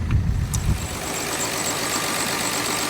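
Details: 2014 VW Touareg V6 with P0087 fuel pressure too low, running after injector 1 reinstated during ball-bearing injector isolation; a few low thumps, then a steady, even idle with a faint high whine.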